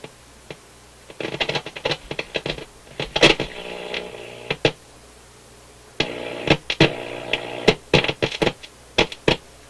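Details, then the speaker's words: Motorola MK 56-H five-tube radio warming up on restricted (light bulb) power right after new filter capacitors soldered in; irregular sharp crackle and popping over low hum; owner suspects board flexing cracked a trace or disturbed the board. "Could be when I soldered in the new capacitors, I've oh, there we go. I've disturbed the board. I was doing a lot of flexing on the board there. Could have cracked a trace or something of that sort."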